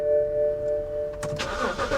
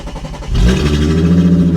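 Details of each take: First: BMW 328 at Copart, service-engine-soon and TPMS lights on: door chime, then a quick crank catches cleanly and settles into a steady, smooth idle; healthy start, runs great. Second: Vehicle at Copart, 206,915 miles, sat a couple of years, catalytic converter stolen: engine catches and settles into a loud, raw, deep drone far louder than stock because the cat is missing.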